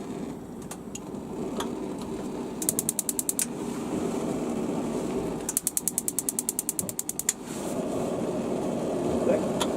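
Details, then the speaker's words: Gas hob, knob turned and held to spark the igniter: two bursts of quick, sharp ticks, roughly a dozen a second; normal sparking. "okay then all is is just a simple turn hold an igniter so one turn two"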